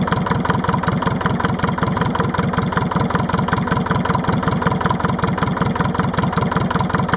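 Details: Leyland 154 tractor diesel engine cold start, lumpy idle near 158 beats a minute with uneven stumble; seems to be a misfire on one cylinder when it first fires up.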